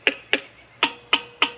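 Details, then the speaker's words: Junkyard GM LQ4 6.0 LS V8 during teardown, engine seized: six sharp hammer taps on valve tops, later ones ringing hollow and metallic instead of springy; valves feel sticky, suspected sticking valves. "that feels kind of sticky so does that that feels sticky too see how that sounds"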